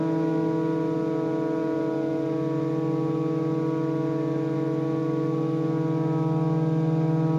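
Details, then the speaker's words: Collins Aerospace hydraulic ram air turbine in a wind tunnel at steady-state speed, delivering 3,000 PSI and about 5 GPM hydraulic load: strong steady low hum with clean constant-pitch tone; normal smooth running. "So once it gets to that steady state turbine speed, it's providing 3,000 PSI, and I think in this case, 5 GPM of flow or hydraulic load."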